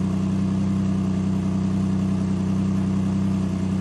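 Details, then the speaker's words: 2007 Buick Lacrosse salvage car at idle, low oil level, oil change overdue (about 102,723 miles): steady idle with a fast, regular puffing tick on the exhaust note; exhaust leak. "Let's hear it run. Oh, we got an exhaust leak."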